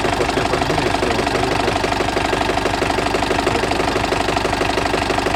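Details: Diesel idling while warming, coolant about 60–65 °C, oil pressure about 2.2–2.3 kg (4 when cold): steady idle with a hard, regular knock through the clatter; knock appeared and has lasted about 1000 km, no external signs.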